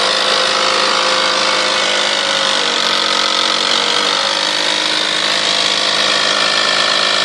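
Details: 1998 Toyota Sienna revved between 2000 and 4000 rpm: steady raspy, hissing roar with a sharp edge, sounding stronger from the manifold area and beneath. Car otherwise runs great; source not pinned down.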